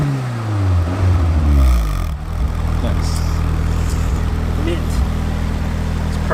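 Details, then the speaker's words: Toyota AE86 daily driver revved after first start; sharp blip then steady even drone, clean moderate exhaust tone not too loud not too quiet, no knocks or rattles; normal revving. "I love this car what a machine okay yeah it's all the exhaust is not too loud not too quiet let's hear it"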